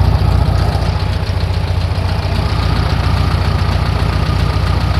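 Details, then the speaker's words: 1964 VW Beetle flat-four after new distributor, cap and plug wires, with idle timing set: low, even chuffing pulse at a steady idle with no misses, knocks or hunting, a normal clean idle. "there it is idle timing set"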